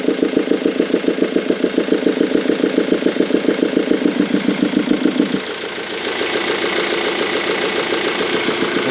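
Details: 2002 Ford Mondeo 2.0 TDCi 115 diesel at idle: steady rapid ticking, about 3.5 per second, louder with the air box removed; the engine starts fine with no smoke. The owner suspects an intake valve closing badly from carbon or bending, unconfirmed.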